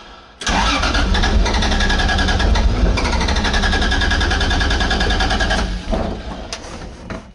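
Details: 2JZ-swapped Nissan 240SX on starting fluid with several vacuum ports open, O2 sensor plug questioned: runs ragged a few seconds, stumbles, dies, briefly catches again. Rough running, won't idle; too much starting fluid later backfired through the intake and caught fire.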